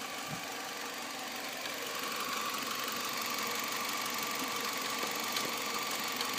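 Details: 2006 Nissan Altima 2.5S with 117,000 miles at idle: a sharp metallic tapping about three per second, heard from the rear top of the engine near the timing chain side; cause unknown.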